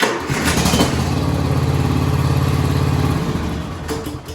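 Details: Lawn tractor with a dead battery, started on a jumper pack showing 12 volts: a quick crank, then it catches and runs with an even, steady beat for a few seconds before winding down; healthy start.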